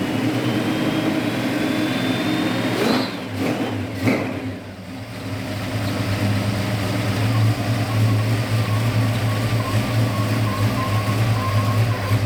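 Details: 1969 Dodge Charger V8 that sat 34 years, post cam swap, likely still on break-in oil, timing never dialed in, carburetor acting weird: blips and revs unevenly, the idle loping and stumbling between throttle stabs; runs rough, owner suspects carb and timing.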